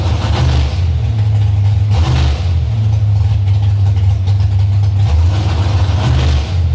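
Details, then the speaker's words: Carbureted engine after idle-mixture adjustments on all four corners: deep revving in bursts with a stumble or miss around 3000 rpm. The old spark plugs are still fitted and possibly contributing; the cause is unconfirmed. "bogging is bad when it could put in gear but right at around three grand it's like a stumble or a miss or something kind of weird there"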